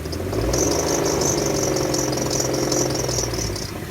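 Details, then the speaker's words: Petrol car engine at idle after adding Lucas oil stabilizer and Liqui Molly ceramic additive and driving about 5 miles: light, quick ticking knock at three to four beats a second, still knocking but much quieter than before. "you can clearly hear uh it's still knocking but it's you know as you can hear it got way better"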